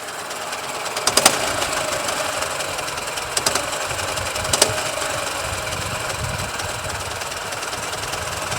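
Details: Experimental Ural boxer motorcycle engine running, throwing out a few sharp, heavy knocks.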